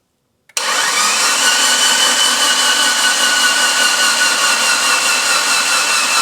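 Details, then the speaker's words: Mitsubishi Evo 8 under restoration, first crank with oil pump packed, no oil pressure yet and no leaks: starter whirs with strained, sagging drone; slow cranking on a low battery. "okay batter is a little low no leaks yet but then again no oil pressure yet"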